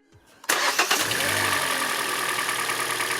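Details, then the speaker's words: 2014 Hyundai Elantra after replacing a failed ignition coil and all four original spark plugs: brief crank, clean catch, smooth even idle; no longer violently shaking on 3 cylinders. "It now starts and runs normally, not violently shaking on 3 cylinders."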